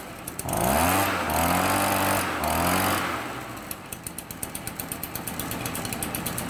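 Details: Stihl BR 400 backpack blower two-stroke, run outside after replacing a defective leaking carburetor with an aftermarket one, new air filter, partly cleaned spark arrestor: steady roar settling into a clean regular idle, no stumbling or leaks; normal running.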